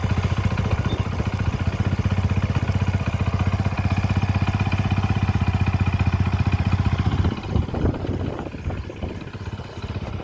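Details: Motorcycle engine worn to the point of needing a rebore but still being ridden: steady idle with a loose, rapid mechanical clatter about four per second riding on the firing beat; engine clatter.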